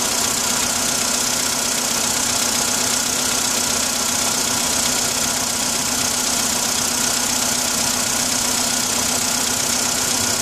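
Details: Engine at cold idle: a steady, fairly regular tapping of about three knocks a second over the engine note. Knock when cold; cause suspected but not confirmed.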